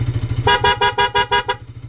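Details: Bajaj Pulsar RS200 with 7M Wind Tone horn after wiring fix: six quick bright horn blasts about five per second over the bike's idle, fast pattern mode; horn working properly.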